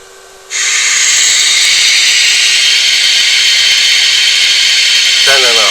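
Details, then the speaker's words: 1978 Crown 5TV-525R TV-radio combo under repair, B+ wire disconnected and measured by multimeter: sudden constant high-pitched white-noise hiss from the speaker with no program; TV shows vertical but no horizontal deflection. "volts plus pc and you can hear the speaker is emitting noise yeah white noise"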